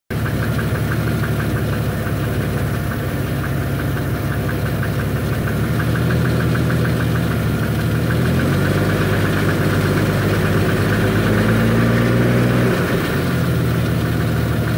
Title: Engine knocking